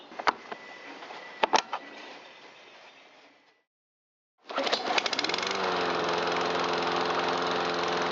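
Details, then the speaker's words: 2009 Troy-Bilt XP 12AI839G211 mower, Briggs 111P02 engine, long-sitting, after carburetor reinstall with old air filter: clicks, pause, then engine catches and settles into even steady drone; starts and runs healthy after repair. "Alright, one 2009 Troy-Bilt XP lawnmower with 4-speed select speed transmission back alive."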